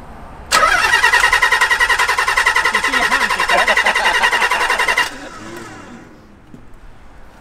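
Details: Car not run or moved in 14 years, garage find with claimed 300bhp: starter spins the engine in steady even beats, about three a second, for over four seconds, but it never catches; crank, no start. Fuel possibly rusty or watery, cause unconfirmed.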